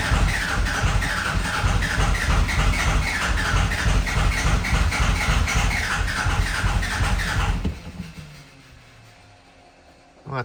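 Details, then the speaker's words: 24v 5.9 Cummins diesel Ram just fired up after VP44 pump replacement and bleeding injector lines 1 and 3: steady even diesel clatter, then shutoff; running normally. "I just didn't start the video in time, but it just fired up."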